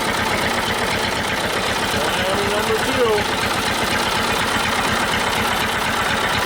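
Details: Old Detroit Diesel two-stroke four-cylinder dozer with a loping, lumpy idle and missing pulses, after the Bon Ami cleanser trick. It runs on 2 of 4 cylinders (compression was 150/90/0/0), possibly from stuck valves.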